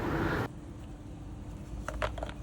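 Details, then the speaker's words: Small pressure washer sprays briefly, then the motor hum abruptly cuts out to near silence before restarting. The technician recognizes the symptom and removes the motor to inspect the pressure switch. "มีอาการฉีดได้นะครับหลังจากนั้นก็เครื่องตัดไปเลยครับ"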